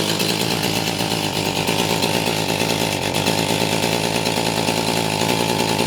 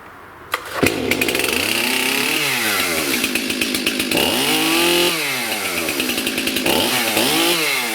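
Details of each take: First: STIHL MS291 chainsaw with no power that won't rev; it holds a flat, strained buzz and never climbs in pitch, caused by a carbon-clogged spark arrestor screen, later burned and wire-brushed clean. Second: Stihl MS291 chainsaw that had no power and wouldn't rev, run with the carbon-plugged spark arrestor screen removed: snaps up through quick throttle blips and drops back cleanly with no bogging; clogged screen was the cause.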